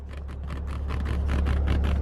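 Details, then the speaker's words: Three-year-old Maserati Ghibli S while driving: quick, light, buzzy taps about five per second over road drone from the seat area. The rattle is returning after a temporary fix, is less bad than before and is expected to worsen; a seat cover replacement under warranty is possible. "back and it's not as bad as it was it's probably going to continuously to get worse"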